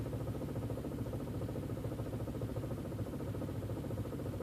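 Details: Audi/VW 1.8T petrol engine at idle: low, uneven, loping pulse of roughly two beats a second that never settles; rough idle, cause not evident.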